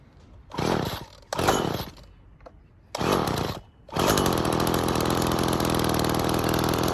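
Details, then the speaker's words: Two-stroke saw run on 6-month-old unleaded 91 premixed 50:1: a few short revs, then a steady, even buzzing idle with no stumbling; way less smoke, better acceleration; normal clean idle, though it starts harder each time. "way less smoke there's no smoke now is much better it's not going so fast acceleration is better"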